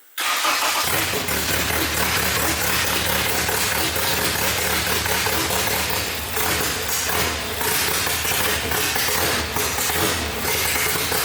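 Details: K-swapped Honda Civic on first start with 93 octane fuel: engine catches and runs unevenly and loudly at a ragged idle, barely staying alive, oil spitting; rough running, cause not yet known.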